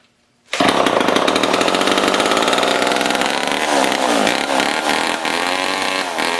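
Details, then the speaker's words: Old Homelite two-stroke chainsaw that sat outside in a scrap pile for over a year: it snaps into a loud, buzzy run with some speed wander but keeps running steadily. "I'd say it's not too bad for something that's been sitting outside for God knows how many years kind of a pointless project but it was fun to fire it up"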